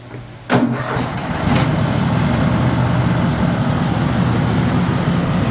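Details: Cub Cadet RZT 54 zero-turn mower: engine catches then settles into a loud, rattly clatter over idle; not the engine, owner suspects the drive system, worn slapping drive belt, belt replacement.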